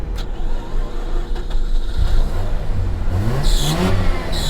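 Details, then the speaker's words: 2006 Mazda RX8 rotary, manual with twin oil coolers, bought at Copart, revved after a booster-pack restart: smooth buzzy revs rising and falling cleanly with no misses or knocks; sounds way better than the other RX8, healthy. "Ooh. This one sounds way better than my other one."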